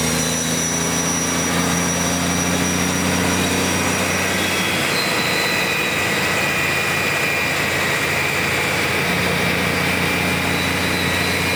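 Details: BUCKETMOUTH forestry mulcher/stump grinder, 1.2 m wide, 1.7 m high drum over 6 tonnes, startup from motor idle speed into second full-revolution phase; steady hum and drum hiss build, pitch settles higher at full speed; smooth, healthy spin-up.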